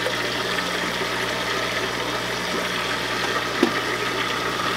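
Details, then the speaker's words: Hang-on-back aquarium filter being primed, possibly clogged filter media: steady low motor hum with watery gurgle and sputter as the pump struggles to create suction. "you hear that noise I think I can I think I can I think that's the pump starting to create suction from the water"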